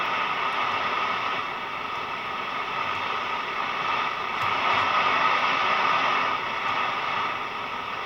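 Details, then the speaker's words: National Panasonic RQ-434DS boombox radio under repair, signal not a clean sine wave: steady hiss with no station and slight noise shifts, tuning makes no difference; owner suspects a faulty transistor. "but as you can see it's not a very clean signal so that should be a pretty perfect sine wave there [Applause] and tuning it through the dial makes no difference whatsoever"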